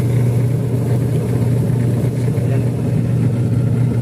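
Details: Single-tub washing machine after gearbox replacement, running empty on wash: steady low motor hum with even tone, no knocking, grinding or earlier rattly noise; normal agitation.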